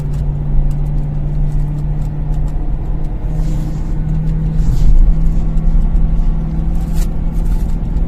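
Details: BMW M3 E93 V8 idling with a deep, uneven rumble, the beat of an engine misfiring on one or more cylinders.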